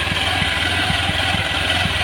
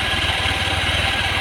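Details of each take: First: Carbureted Honda Vario 110 with Supra X 125 CDI fitted; idle rises and falls, because the Vario has two ignition pickups (low and high rpm) while the Supra CDI uses one; fluctuating idle from incompatible CDI unit. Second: Honda Vario 110 carburetor with lost ignition, after swapping in a Karisma/Supra X125 CDI: steady even idle with regular low pulse, no hunting up and down; idle now smoother than before.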